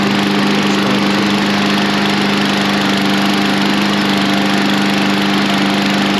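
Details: Briggs & Stratton 550EX replacement engine on a lawn mower, first start after install with fresh gas; steady, even single-cylinder drone, constant pitch, no shake or misfire, unlike the old engine that shook constantly, normal running.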